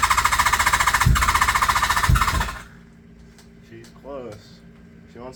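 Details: Kawasaki GPz550 motorcycle not run for two seasons, new pod filters fitted without rejetting the carbs, full choke: fast even starter chatter, about three and a half beats a second for two and a half seconds, no firing; cranks but won't start.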